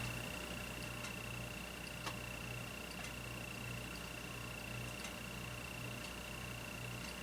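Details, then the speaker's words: Ceiling fan runs shaking with a low, pulsing rumble, a thin high whine and faint ticks, which the owner attributes to bad, grinding bearings. "the bearings is bad though can i already hear them grinding well it is shaking no doubt about it"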